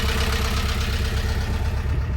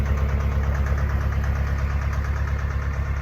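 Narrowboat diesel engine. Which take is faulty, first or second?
first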